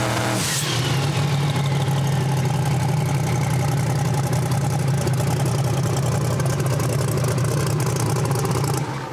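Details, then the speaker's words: Turbocharged drag car at full throttle on the two-step, after switching to a normal-weather tune from a lean hot-weather tune that made it sneeze: even, loud crackle that builds boost cleanly with no stumble. "But you hear how it comes up. It's nice. It's fine."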